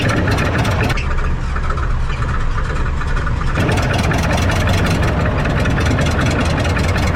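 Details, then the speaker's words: Dodge truck from a dead-row auction, hard cranking on a boost pack with both batteries charged: steady fast starter churn with rhythmic chug, engine never catches; owner suspects water in a cylinder and plans to crank through it. "I got the Boost pack on it I got the old cromin hooked up to it and I got both batteries and the truck charged up and I'm just going to crank right through it that that'll be fine"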